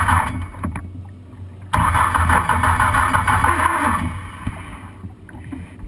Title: Manson Gang Green No Start Vintage